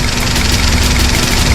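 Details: Daihatsu Sirion with the check engine light on, idling rough: uneven beat broken by irregular low thumps. ECM malfunction suspected, not detected by the scanner; wiring to be checked before replacing the ECM or sensors.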